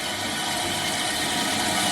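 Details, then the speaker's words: Toilet that kept running, just fitted with a new Fluidmaster 400CRP14 fill valve and flapper, water turned back on. Steady, even rushing hiss from the refill tube with no chatter or whistle: normal tank refill after repair. "and now you're going to see the water flowing from the refill tube"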